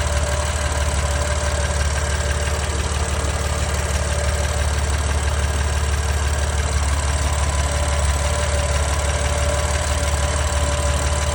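Cold idle with a steady deep drone and a light regular tick, about three per second, riding over it; cause not yet pinned down.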